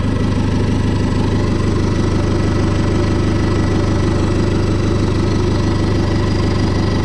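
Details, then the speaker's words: Fiat Ulysse diesel idling at first start after turbo refit: an even rhythmic rumble of about three pulses a second with a steady underlying drone; owner hears bearing noise and says bearings need doing, cause not confirmed. "En tout cas il y a des roulements à faire parce que j'entends bruit de roulement quand même."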